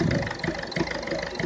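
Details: Ford Fiesta 1.4 diesel at tick-over: uneven, lumpy beat roughly every third of a second, like one cylinder not pulling; an infrared temperature gun check concluded injector number one is failing.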